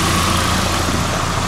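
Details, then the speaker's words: 1990 Nissan 240SX, 5-speed, after water pump, thermostat and radiator replacement, idling about two minutes. Steady idle with a raspy, puffing hiss over the engine note from a small exhaust leak at the rear, before the muffler. "you'll hear in a second there's a bit of an exhaust leak at the rear still"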